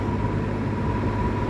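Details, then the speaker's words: Likely 1950s W. W. Welch Air-Flight 20-inch box fan, model 20W-U, with a Universal motor and Torrington aluminium blades, oiled and running on high. Even low hum with a smooth rush of air, no ticking or rubbing; very quiet and running normally. "it was absolutely perfect so I gave it some oil it seems to run better now it's really quiet I am actually astounded at how how quiet this thing is it's a very smooth Runner too"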